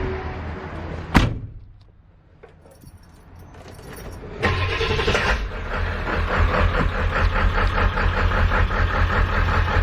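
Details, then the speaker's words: 7.3 diesel van after starter replacement: after a key rattle it fires and settles into steady, even idle clatter with no misses or knocks. Normal, healthy idle. "that's a healthy 7/3 you guys already know"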